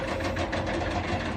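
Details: Caterpillar excavator with 6.6 diesel idling with an uneven, stumbling beat and irregular knocks breaking the rhythm; engine misfire.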